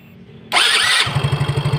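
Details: Yamaha Mio J after replacing the starter motor (dinamo starter) that clicked instead of cranking: quiet, then a crisp high starter whir for half a second, and the engine catches into a steady idle.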